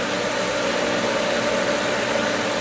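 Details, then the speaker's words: Pool pump at season opening, skimmer valve opened fully on air-filled winterized line. Loud, steady airy hiss with thin whine over the motor; pump drawing air through the skimmer line and nearly losing prime. "sucking on it. It's getting it."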